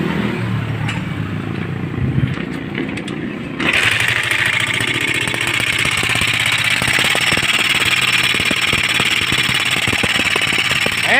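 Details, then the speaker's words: Motorstar Star X 125 (Rusi 125) pushrod single-cylinder: sharp irregular clatter over the idle that remains after tuning both tappet adjusters, with the rocker arms fine. The noise is not from the head; a worn lower timing gear is suspected. "Maingay pa rin siya So wala pa tayan Maingay pa rin mga boss ano so hindi dito sa taas Yung kanyang sira"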